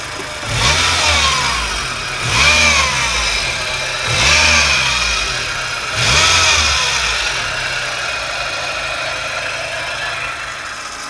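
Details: 1999 Honda Civic Type R EK9, 103,247 km: four quick revs with a whine rising and falling with engine speed, then a steady whine at idle, caused by a failing air-conditioning belt tensioner bearing.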